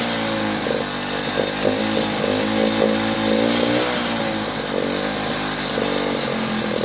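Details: Delta moped, plug cleaned, choke flap set to middle: uneven, wavering two-stroke buzz that stumbles and surges; owner hears the plug sooted again, most likely from fuel that sat for months.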